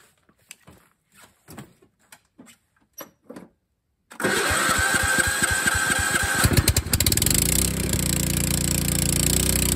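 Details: Craftsman LT2000 lawn tractor with a Kohler Command engine, revived with a new carburetor, air breather and battery: after a few seconds it catches and settles into a steady, even run with no misses; normal running.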